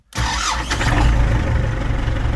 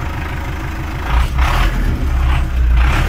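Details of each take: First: New warranty-replacement geared starter on an MTZ-82 tractor, battery at 12.3 V, tractor completely cold after overnight discing: a thin high whine rides over heavy cranking until the diesel catches; starter works well but the whine is unfamiliar to the owner. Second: Fully cold MTZ-82 tractor started on a new warranty-replacement 4 kW reduction starter (battery 12.3 V, drops to 10–11 V cranking): rough churn catching, then a steady even diesel idle; owner notes an unfamiliar whine at start.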